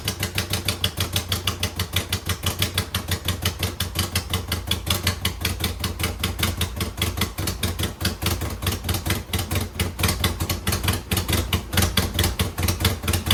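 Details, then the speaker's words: 2009 Subaru Forester X NA EJ253 with remanufactured OEM heads, second start after engine install: lumpy, uneven idle with unsteady firing pulses; vacuum leak, as one airbox/intake hose was unplugged and another misrouted. "Well, I would not say that was a terrific second start, but I could find this hose here off the airbox and this hose off the intake were one of them was unplugged. The other one was in the wrong spot."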